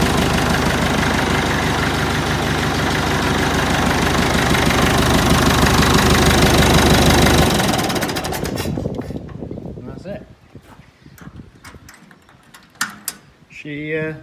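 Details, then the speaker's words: Freshly rebuilt Massey Ferguson 165 diesel tractor: steady, even clatter at a brisk idle with no misses or knocks before shutdown; starts nicely and runs sweet after the engine rebuild. "so yeah everything runs sweet on it it starts up nicely"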